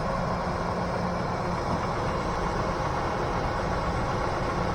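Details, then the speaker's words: Junkyard LS V8 on a really cold start: smooth, even low rumble at idle with no clatter, no bottom-end or top-end noise, and no lifter tick. "and you can hear there's no clatter no lowend noise no topend noise this doesn't even have a lifter tick or anything going on with is phenomenal oh oh oh oh oh oh goes this one's nice and quiet"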